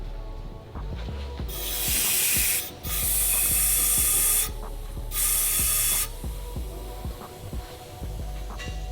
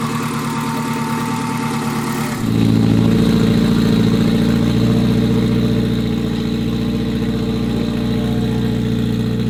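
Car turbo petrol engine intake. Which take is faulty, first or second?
first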